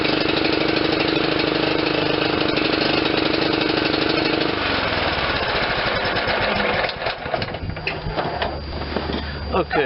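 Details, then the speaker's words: Kohler CV460S single-cylinder 460 cc engine on John Deere LT160, after carb replacement: fast uneven thudding with a loping beat that stumbles and dies down; still over-fueling because the choke was stuck closed. "but uh if sharper sharp eared viewers will hear that it was definitely still over fueling and I says what in the world is going on well this is your choke it was stuck"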